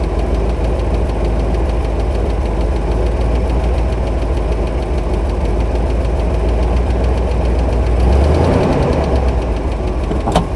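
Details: Buick engine heard from a camera placed under the car at idle: loud, uneven knocking about three times a second over a heavy, low idle rumble, an internal engine knock whose cause is not yet known.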